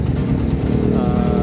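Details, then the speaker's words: Honda Mega Pro Primus, around 2010, after repair: valves replaced three times in a month; short, smooth, even single-cylinder idle putter with no ticking or knocking, running clean and steady. "Guys, mesinnya udah halus ya, mesinnya udah oke, mesinnya udah oke, dan mesinnya sudah untuk bisa buat riding lagi, dan untuk konsumsinya bisa untuk pakai untuk sehari-hari dengan normal."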